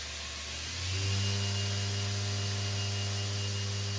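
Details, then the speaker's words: Blackfox 2"x72" belt grinder, newly assembled, motor on a VFD, first run in forward: the motor spins up in about a second to a smooth, steady hum with no knocking or scraping; normal motor run. "We're going to put it in forward and turn it on a little bit. Whoa, look at that. We have a bench grinder, and the lights didn't dim or anything."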